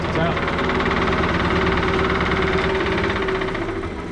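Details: Wood lathe on a stand with no added weight yet: steady motor hum with a loose rattle pulsing nearly four times a second as the lathe shakes and bounces; weights are to be added to steady it.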